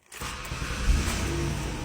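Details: Ford Taurus with stalling and no-start, after restoring power to the PCM fuse circuit (suspected broken wire): engine catches right away after a short crank and settles into a steady even idle.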